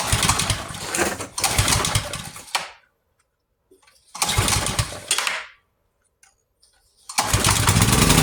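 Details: Yard-sale pressure washer engine, choke on, no air filter fitted: small single-cylinder pops into life in short bursts after a backfire, runs a second or two, then dies; only fires on starting fluid.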